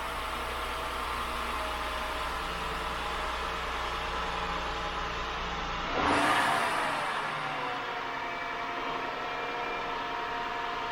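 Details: 2000 Acura 3.2TL J32 V6 with 610,451 miles, first start after replacing all intake gaskets including lower intake manifold gasket: even idle, then a quick rev around six seconds settling back smoothly; runs cleanly with no knocks or misses, normal running.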